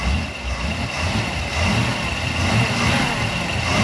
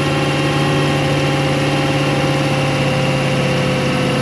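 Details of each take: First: 1991 Malibu Competition ski boat, brand-new built 350ci Chevy V8 on its first start in the water; lumpy, slightly uneven low idle burble with no misses; owner says it's running rich and the carburetor needs adjusting. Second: New built 350ci Chevy V8 in a 1991 Malibu Competition ski boat during break-in: oil pressure good, manifolds normal temperature, oil level fine. A steady, even drone holds constant pitch, then eases slightly as it's backed off. Normal fast idle.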